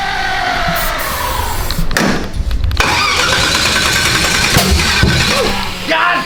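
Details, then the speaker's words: Big turbo small-block Ford: starter cranking with loud sharp intake pops and flames, no catch, no throttle, little ignition timing; backfire through intake because cam timing is 180 degrees out. "there's a every time that don't fire up a car it blows up the intake it's 180"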